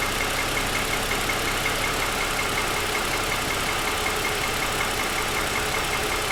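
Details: 2007 Lexus ES350, parked with hood raised, cold start: light regular tapping, roughly two to three per second, over the idle; owner says pronounced piston slap lasting about 10 minutes after cold start, louder over 2.5 years of ownership.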